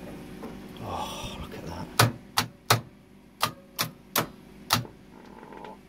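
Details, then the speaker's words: Repaired 30 amp variac at around 1,000+ watts; sharp uneven clicks, roughly seven in three seconds; contactors switching cleanly under load. "Can you hear those lovely contacttors, guys?"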